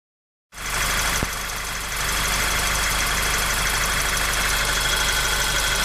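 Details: Golf 6 GTI engine at steady idle with a faint, fairly regular ticking about three times a second over the engine hum; abnormal engine noise, cause undetermined.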